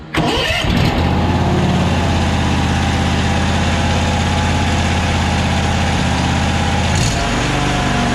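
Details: Toro Z528 (74237) zero-turn mower after fixing no-charge fault from bad fuse block connections and loose, melted ignition switch wiring: brief crank, catches within a second, steady even idle; battery voltage rises to about 14.2 V, now charging.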